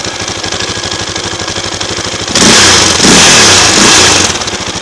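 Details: 2004 KTM LC4 640 single, 11,000 km, Akrapovic slip-on, at 60°C oil temperature with no choke: even idle thump near two per second, then a sharp rev and drop back; nothing clearly wrong, condition unknown.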